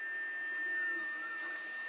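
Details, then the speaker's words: Anycubic i3 Mega-S 3D printer with stock stepper drivers, after fan upgrade, at print start: thin steady high whine over a soft fan hum; loud stepper motor whine. "so even with just the fans running the printer is still fairly loud but take a look at when the print actually starts we definitely have some work to do here"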